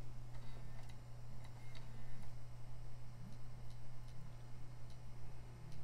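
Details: PS2 Slim disc drive. Uneven dry ticks every half second or so over a steady low hum: the drive is struggling and not reading discs properly.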